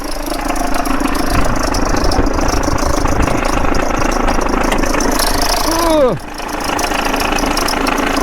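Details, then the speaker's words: Holden/Chevrolet Epica VCDi diesel, 217,000 km, at start-up; uneven lumpy idle with heavy low shudder and irregular beat, engine rocking hard before shutdown; cause not confirmed, owner also suspects timing tensioner noise that fades when revved. "the engine wants to escape. Can you see the pull?"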